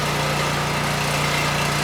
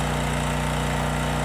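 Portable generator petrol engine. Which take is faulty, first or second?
first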